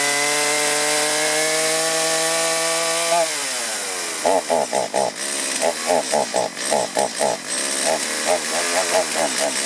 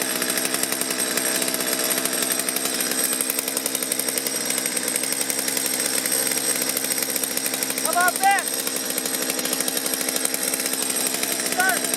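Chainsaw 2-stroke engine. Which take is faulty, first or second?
first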